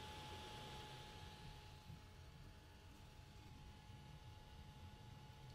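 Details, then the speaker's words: FLSUN Q5 delta 3D printer cooling fan recorded on a phone's internal mic about three inches away. A quiet, steady hum with no rattle; it is probably the loudest part and may be hard to swap for a quieter one because it runs on a different voltage. "so this fan is probably the loudest part and i think that can be difficult to replace with a quieter fan because it's a different voltage but not impossible"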